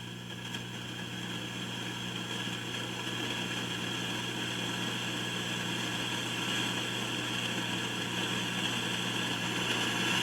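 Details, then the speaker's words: Kay K550 amplifier repair: steady mains hum under a bright hiss that grows louder and harsher as one end of a resistor is heated with a soldering iron, then dies down as it cools. The resistor is confirmed noisy. "leg hear how noisy that's getting so i'll let that cool down listen you can hear it dying down"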